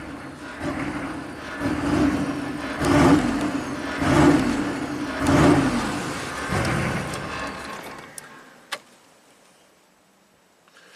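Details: 1995 Chevy K3500 6.5 turbo diesel, hard to start, revs without accelerator; new pedal and pump driver module didn't fix: starts at 2,000 RPM versus 844 desired, revs surge and fall about once a second, then drops off; cause unknown.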